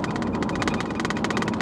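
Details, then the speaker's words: 2000 Chevy Blazer after repair of a P0300 misfire, road test while driving; steady road and tire roar over an even engine drone, no popping or misfire stumble; engine running normally. "with all the other noises that this truck makes I don't know how you can hear any kind of a popping noise from the engine"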